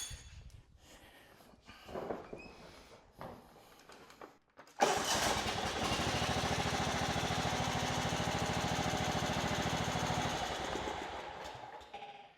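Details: Kohler Command CV15S on a John Deere LX255, after repair for a crank-but-no-start fault: engine catches at once and runs at a steady, even beat for about five seconds before shutting down; healthy run.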